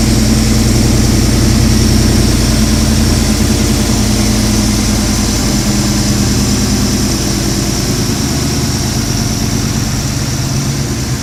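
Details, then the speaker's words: 2004 Jeep Unlimited with a 2010 5.7 VVT HEMI from a RAM, 545RFE automatic, JBA shorty headers: a steady, even, smooth idle held slightly high just after start, with no knocks or misses. This is the normal VVT fast idle for about 30 s before it drops to standard. "One thing about the VVT motors that you'll notice, if you can hear on the sound, is that VVT motors have a high idle for the first 30 seconds or so. Once it gets 30 seconds, the Hemi computer brings it back down to your standard idle."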